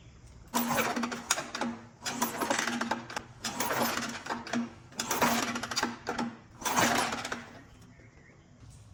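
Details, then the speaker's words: 1985 Honda XR350R single-cylinder four-stroke after sitting outside 6–7 years, spark plug out (plug black, possibly rich) for spark test: four kick strokes, smooth even whirring, no catching or scraping; has spark and kicks over smoothly. "All right, so as you can tell, it does have spark and it kicks over very smooth."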